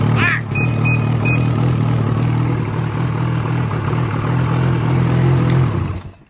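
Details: 2016 Ski-Doo Freeride 800 E-TEC two-stroke sled that bogged off idle and wouldn't rev over 1200 rpm, after throttle free play adjustment: catches quickly, settles into steady even drone, a few short high chirps early; normal startup.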